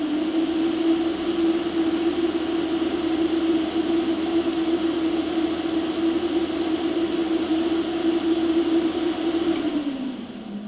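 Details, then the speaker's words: PowerJack 8 kW inverter with an upgraded 12 V, 120 mm, 200 CFM high-speed cooling fan on a 12 V test supply: loud, steady high-speed fan roar at constant pitch, winding down near the end; normal running. "that is a very loud fan obviously power jacks probably not going to put that size of a fan in there at least that speed but if you're serious about cooling and I think power jacks should take this a little bit more serious"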